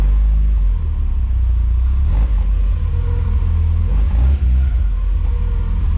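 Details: Porsche with 2.0 Audi engine, replacement engine just swapped in with new timing and alternator belts, checked valve clearances and new front seal: catches quickly, deep clean rumble through free revs to about 5800 rpm, no knock; healthy.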